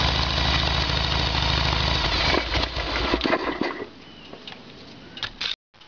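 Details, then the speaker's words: Harley-Davidson Evolution Sportster V-twin with earlier backfiring, run on the normal petcock position: runs unevenly, coughs and sputters, then dies; fuel starvation, faulty fuel tap passes no fuel on 'on', only on reserve. "there was all the proof we need had ran dry with the fuel tap on"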